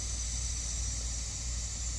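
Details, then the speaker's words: Bus RV drain line found pressurized, owner suspects heavy rain contributed; steady, even hiss of trapped pressure bleeding off with a low rumble underneath. "It's pressurized. Just got to release the pressure. Yep, this puppy is pressurized."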